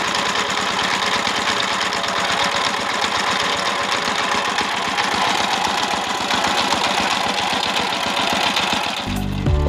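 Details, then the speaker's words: Single-cylinder S-195 dompeng diesel for well drilling (complaint: no power, heavy smoke from breather), first run after service: fast steady chugging with coarse clattery edge; still runs rough, suspected from the gear set, unconfirmed. "dan suaranya pun masih lumayan kasar ya ini bisa disebabkan oleh dari gear setnya ini jadi menyebabkan suaranya masih terdengar kasar"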